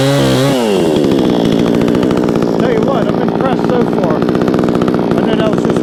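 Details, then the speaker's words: Vevor 20-inch gas chainsaw, freshly started with choke off, cutting a 4x4: revs dip briefly as the chain bites, then it holds a strong, steady buzz through the cut without bogging; normal running under load. "that was just one cut. It's going through there like nothing."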